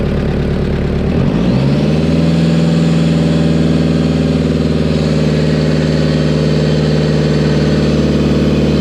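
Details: Toyota 1KZ diesel, after injection pump rotated toward engine to increase fuel and fix white smoke and missing: catches quickly and settles to a steady, even idle clatter with no miss, no white smoke; sounds sturdy and healthy.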